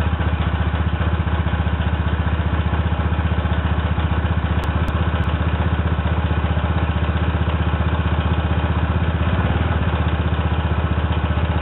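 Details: Yamaha Zuma 125 scooter on its centre stand after a variator upgrade, not run for weeks: even, steady single-cylinder putter at idle with no stumbles or rattles. Normal idle.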